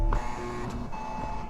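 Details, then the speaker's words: Porsche convertible with battery showing no charge, during restart attempts: thin steady electronic tone dropping out and returning over faint motor hum; unexplained beeping. "And this noise troubles me. What is that beeping noise?"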